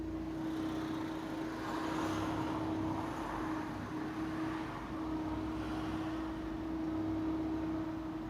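A steady, thin mid-pitched whine holds over the road and engine noise as the car moves off, a clear drivetrain whine.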